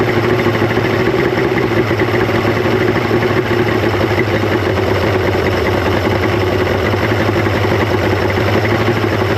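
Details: 1995 Mercury 200hp XR6 Blackmax two-stroke outboard after timing adjustment, charging well; steady, even burble holding constant speed without hunting or misfire, idling cleanly.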